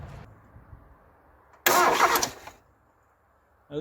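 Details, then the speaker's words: Mazda MX5/Eunos Roadster off the road 13 years, fuel line off the rail into a hose: short starter crank, engine spins but never fires; no fuel delivered, pump not running or car possibly immobilized. "let's see what happens when i turn on the key nothing so there's no fuel pump yeah not a drop so no fuel pump looking well either that or the car is mobilized"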